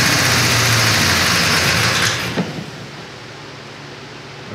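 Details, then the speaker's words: 1957 Chevy wagon, believed 327 V8, first run after sitting for years: loud fast clattering tick on revving that fades as revs drop; owner hopes it's a noisy lifter, unconfirmed. "because that really does not sound that great it does sound like a lifter"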